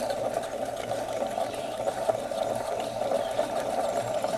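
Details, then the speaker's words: Villiers 9E engine from a Penguin amphibious ATV, in teardown, crank turned by hand: steady gritty rasp from noisy crankshaft bearings; slight up-and-down play noted. "what that sounds like noisy crankshaft bearings now hmm I'm not sure if that's bearings on the outside of the crankshaft like there's set of bearings on each end of the crankshaft"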